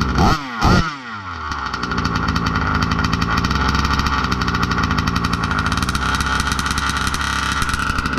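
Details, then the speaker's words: Budget billet Baja 5B RC two-stroke, first fire of build: a couple of pull-starts, then steady slightly burbly even idle; no more blow-by, normal slightly rich idle. "We'll let her idle for 15 minutes. Doesn't look like there's any more blow by. Nice and rich. Just a little bit."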